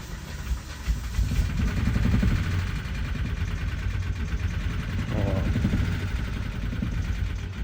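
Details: 2016 Kia Carnival 3.3L V6 on cold start: rough, deep running with an uneven pulsing flutter of about four beats a second, an abnormal engine noise.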